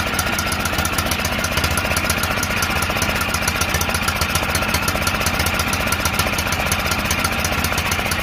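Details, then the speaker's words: John Deere L108 lawn tractor after sitting about a year, stuck throttle freed: steady even chugging at constant speed, no misses or knocks; normal running. "Damn throttle was stuck, bastard. Sounds like she's running strong now."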